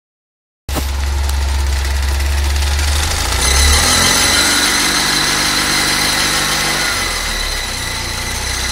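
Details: Fiat Uno EP 1996 engine starts and settles to idle with a regular light tapping, about four per second, over the running. Engine noise, source not pinned down.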